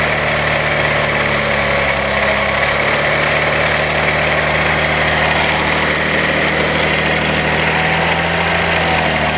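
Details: 2016 Audi 3.0 TDI diesel at 1500 rpm: steady running with a dry, even metallic chatter over the engine note; timing chain rattle, suspected clogged or restricted tensioner being cleaned, cause unconfirmed.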